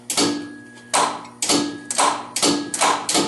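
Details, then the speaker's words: John Deere 111 hydro garden tractor, engine at 90 psi compression, not yet started: sharp click about every half second with faint steady ring; PTO clutch engaging and locking up normally. "So that clicking noise here is that thing locking up like it should."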